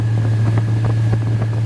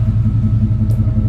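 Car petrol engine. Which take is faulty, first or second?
first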